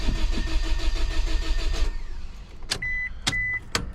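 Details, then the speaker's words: Scion daily driver with recurring misfire and low compression: starter churns about three beats a second for a long time before catching, then missing badly before settling to normal idle; hard start, cause unconfirmed. "Uh-oh. That took long enough. Oh, she's missing bad though."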